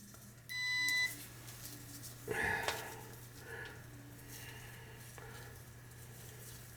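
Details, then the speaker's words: Gas boiler with no heat: continuity test on the new replacement igniter element (3400A), one clear steady beep for about half a second as the probes meet; continuity confirmed, good igniter, while the old element gave no beep and is the likely problem. "That one made a sound, the new one, right? When I put these two together, right?"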